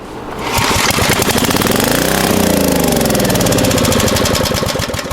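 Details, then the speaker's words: Abandoned Generac generator: on one pull it coughs into a few ragged seconds of running, revs swelling and sagging, then fades out starving for fuel. Owner suspects the carburetor is trash and possibly the fuel pump. "One pull. I think that's all I'm going to get out of it, though. I'd say that carburetor is trash, and there's a possibility the fuel pump is no good either."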